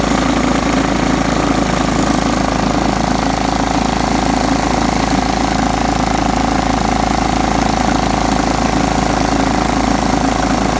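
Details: John Deere STX 38 riding mower, revived with a new battery: steady, even drone at constant pitch under load, no surging or misses; normal running.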